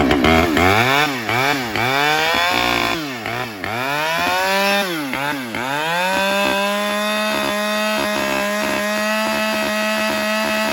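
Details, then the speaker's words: Husqvarna 572 autotune chainsaw with air filter fully blocked by duct tape: blips, then holds a steady high scream around 12,800–12,900 rpm, versus 13,400 unplugged; runs richer, choked by clogged air filter, and needs a manual autotune reset. "about 13,000 12 128 129 that's with a completely plugged air filter I ran it earlier without the plugged air filter and it was 134"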